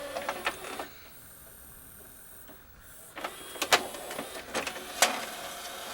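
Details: Pioneer LaserActive after the tray and outside were cleaned: a brief light motor whirr, then a few crisp clicks as the tray quickly ejects; the mechanism sounds smooth and healthy.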